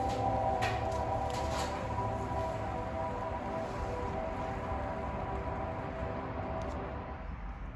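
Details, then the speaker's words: 2021 Honda Accord Hybrid in electric vehicle mode, reversing out of a garage: soft, steady electronic hum with a faint tonal pulse under garage echo from the Acoustic Vehicle Alert System; normal reverse pedestrian alert, louder than in drive. "It's completely in electric vehicle mode. I'm gonna put it in drive so you guys could hear it in drive. It's definitely louder in reverse for some reason."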